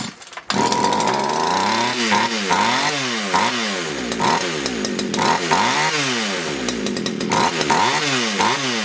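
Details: Poulan Wood Shark chainsaw with a no-start problem, after the low jet was leaned out slightly: keeps revving up and dropping back instead of settling at idle; racing and flooding, owner suspects a sticky needle and seat.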